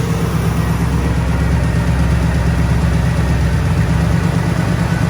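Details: 1964 Chevrolet Malibu/Chevelle after engine mount, fuel pump and starter replacement, started on dry fuel lines: deep, steady low rumble at an even idle with no knocks, surges or uneven beats; running smoothly.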